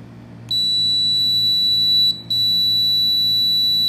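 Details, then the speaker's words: Rolence XR-01 portable dental X-ray with a Canon D045 tube. The exposure was interrupted. A piercing continuous high alarm tone with one brief break sounds, and the panel shows E03. "now you will hear the the error call and the panel will show e03 which is mean this is not successfully during the explosion"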